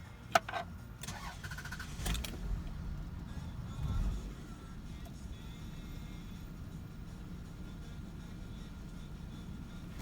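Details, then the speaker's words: Car that idles roughly after cold start, recurring each spring after air conditioner use: engine catches then idles low and lumpy, nearly stalling, needing throttle to keep running; clears once driving. Suspected throttle body, IAC valve or mass air flow issue, unconfirmed. "if I accelerate it'll eventually clear itself up but sometimes it'll barely run and I have to hold my foot on the accelerator to keep it going but then once I start driving it'll run fine and it'll idle again"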